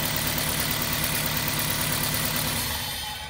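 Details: 2006 Toyota Corolla with rough idle and engine shake on acceleration: loud idle with an uneven, lumpy beat about four times a second and a shake through it; one cylinder dead from a bad ignition coil.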